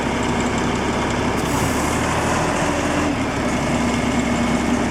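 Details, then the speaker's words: Ingersoll Rand 175 tow-behind compressor with air-cooled Deutz diesel, cold start: settles straight into a steady even idle with busy clatter, no misses or stumbles; healthy cold start. "all right so we're going to start it up with the help of our wonderful assistant today hold on let us see what you're doing this is a cold start"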